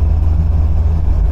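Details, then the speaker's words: 1980 MGB on its first proper drive after front suspension, brake overhaul and engine tune-up: steady low engine drone under way, even firing with no knocks or misses; engine sounds much happier, brakes awful, overdrive not working; normal running. "but the engine sounds an awful lot happier and those brakes are bloody awful"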